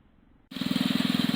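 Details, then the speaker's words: Wheel Horse garden tractor small engine running: quick, even firing beat with no misses or knocks, running smooth with no leaks. An idler pulley makes some noise, and the rear end was topped up with oil. "horse is performing awesome i don't see any issues i don't hear any issues"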